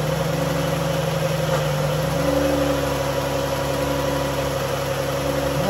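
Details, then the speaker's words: 2011 Dodge Journey 3.6 V6, cold start after lifter and rocker replacement: steady even idle hum, no tapping or ticking from top end; previous tick gone; brief power steering whine at startup, fluid low. "Sound like she's doing her thing. No more tick, tick, tick, tick, tick, tick, tick, tick, tick, tick, tick, tick, tick."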